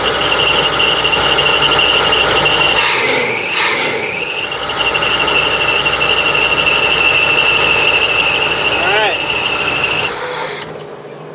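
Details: 1976 GMC motorhome engine just started after tune-up with new plugs, wires, cap and rotor: loud high-pitched squeal over the running engine, dipping and recovering then steady until shutdown; possibly slipping belts, due for replacement.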